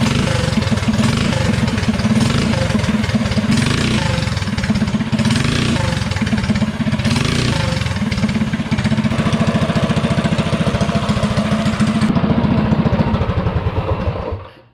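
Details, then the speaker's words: DuroMax 208 mini bike with VM22 Mikuni carb, after the needle clip was moved down one slot to richen the mixture: revs up and settles cleanly several times with no tip-in stumble, then shuts off; hesitation cured, carburetion healthy. "that definitely helped it out it has no more tipin throttle response hesitation so it needed to be riched up just a little bit with the slide here with the needle"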